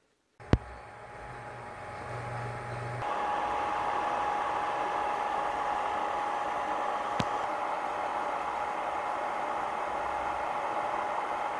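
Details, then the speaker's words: PowMr 60A MPPT solar charge controller cooling fan running: steady, loud rush with buzzing wasp-like tone, louder than a nearby inverter's fan. Loud cooling fan noise. "tapi kipas SCC ini wah suaranya cukup bising jadi seperti tawon gitu keunggulan tawon atau lebah bunyinya sangat bising"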